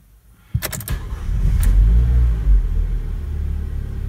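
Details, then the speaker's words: Renault Duster, another repeat start after fixing a click-no-start problem by tightening bolts: brief crank, then it catches at once and settles into a smooth, even deep idle with no stumble. Normal start. "Давайте еще разочек кстати друзья вообще рекомендуется проверить три четыре пять шесть десять раз перед тем как начать эксплуатировать автомобиль чтобы она каждый раз заводилась великолепно"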